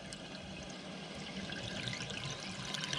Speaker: But if the float doesn't shut off, can you hear the water? It's going to run and it's going to pou